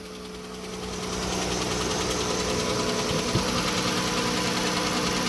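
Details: 2011 Chrysler Town and Country or Grand Caravan Pentastar, codes P0420, P0430, P0300, P0302, hood up at idle; quick, fairly even light ticking about three per second, sounds like valve-train tick, owner suspects early-stage rocker arm issue, not confirmed.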